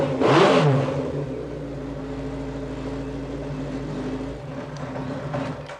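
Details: Kawasaki 550 motorcycle after ignition coil rewiring and plug-lead timing, previously severe miss when cold and low power; now starts and runs smoothly, settling into an even, steady run with no misfire or stumble.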